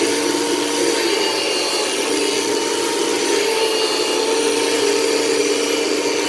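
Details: 1989 Moosoo U1400-A bagless vacuum switched to vacuum mode, finicky power switch: steady rough whirring with a constant high whine, coarse and uneven; motor fan sounds unhealthy, cause suspected, not confirmed.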